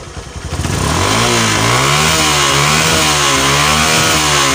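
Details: Honda Megapro monoshock single-cylinder motorcycle after spark plug gap set and a 1.5 µF/400 V capacitor fitted: catches within a second, revs up and down smoothly with even firing, no misses or tapping; runs healthy.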